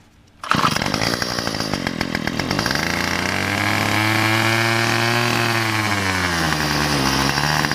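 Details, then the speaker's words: Weedeater (string trimmer) small engine before carburetor, gasket and spark plug replacement, about half a tank of fuel: fires and revs, then sags and labors with wavering pitch, struggling to hold speed; engine bogging, carburetor problem suspected. "Sometimes it'll bog out and it got to the point it will bog out."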